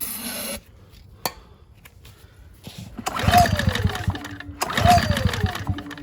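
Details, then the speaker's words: Ryobi RYi2322 inverter generator, bought not running, gas in tank, starting fluid used: two rough recoil pulls turn the engine over without it catching. Hard starting. "Let me hit it with starting fluid. This is how I did at my Echo when it wouldn't start."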